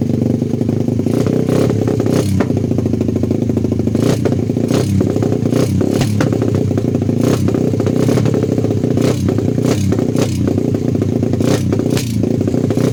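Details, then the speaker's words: 125cc pit bike after a new muffler pipe was fitted: rough revving broken by sharp irregular pops about once a second, spitting fire through the pipe under throttle; exhaust backfiring, owner suspects the previously repaired ignition. "газуешь огнем плюется из трубы"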